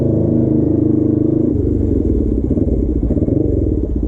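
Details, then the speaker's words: Suzuki GS450 twin scrambler, warm, ridden: exhaust steady then turns ragged with dropouts and uneven pulses under load; intermittently misfiring, original ignition coils suspected, later found dying coil plus headgasket. "you this thing's start to break up a little bit I don't he's still low but he had a couple times were sort of fluctuate he right there"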